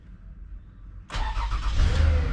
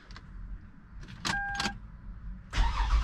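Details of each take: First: 2008 Lexus, towed in with crank-no-start; after repairing broken coolant temperature sensor wire (reading -40, now 33): short quiet crank, catches at once and runs steadily; starts and runs properly, check engine light still on. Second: 2008 Lexus towed in with no start: starter cranks at a steady even rhythm for several seconds but never catches; crank no start traced to a broken engine coolant temperature sensor wire.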